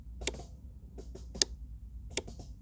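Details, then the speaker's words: Mercedes W210 E220 central windshield wiper, switch tested with the key in the first position: three crisp clicks about a second apart from the speed relay, at switch level three only. The switch and relay are working normally. "you just hear the click from the speed relay while the switch inside is on the maximum so you can hear that right"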